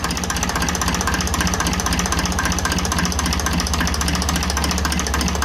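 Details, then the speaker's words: 1954 Ferguson TEF 20 diesel tractor with the diaphragm housing adjuster on the rear of the fuel pump being loosened. Steady tickover with even knocks near 230 a minute as the idle speed drops. "As you can see, the tickover is going down when we loosen that."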